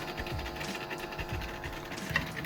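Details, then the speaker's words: Philips bed-type cassette tape recorder on external power supply, cassette loaded: tape transport whirs and turns steadily (motor noisy, old belt) but no playback sound at all; no audio output. "Sound மட்டும் தான் வரல. அது என்னன்றத check பண்ணி பார்க்கலாம்."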